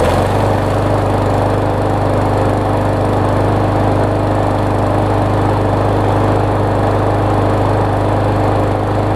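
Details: Murray mower with new replacement engine swapped onto deck, 21-inch blade, first crank; fires right up and holds a steady, even beat with no misses or surging, running clean.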